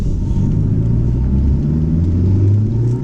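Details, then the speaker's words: Chrysler TC 16v running after the two center spark plug wires, found swapped, were corrected: deep, steady rumble with an even beat and no misfire stumble; smooth running, though injector cleaner may still be needed. "so it turns out that the two inner spark plug wires were switched the two center spark plug wires were switched around and I switched them and listened to it listen to it"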